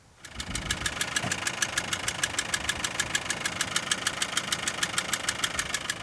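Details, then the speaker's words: Diesel at idle, alternator, water pump and power steering pump ruled out: crisp ticking about two per second, rubbing-like; traced to two damaged fuel injection pump bolts knocking. "sounds just sounds like something's rubbing somewhere"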